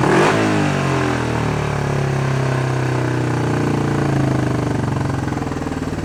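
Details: Honda CB350 twin during carb work, with the idle adjustment screws backed out after being run in too far. A quick rev drops back to a steady, even idle with no misses or stumbles; running cleanly.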